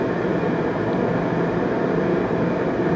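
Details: Riello RDB kerosene oil burner after new Danfoss 0.6 USG/h 60° EH nozzle at 8 bar, air screw wound from about 1.5 toward 3 for more air: steady even roar, no pulsing, popping or rumble; firing cleanly.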